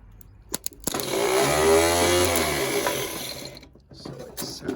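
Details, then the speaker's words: Starter from a 47-year-old International 3300B skid steer (Wisconsin V4), bench tested off the engine: quick clack then smooth rising whir held about two seconds, winding down; starter works, so the engine may be stuck. "sounds like our starter's working okay. So it looks like the starter's working okay."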